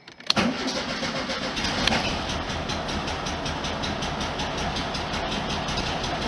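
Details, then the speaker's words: 1973 VW Super Beetle start after valve cover gasket and oil/filter change with STP additive, no throttle needed. Short crank, catches at once into an even lukewarm idle just under 700 rpm, oil pressure up to 60. "I didn't have to put my foot on the gas to crank it up which is good sign so maybe I've got some of my idol problems fixed"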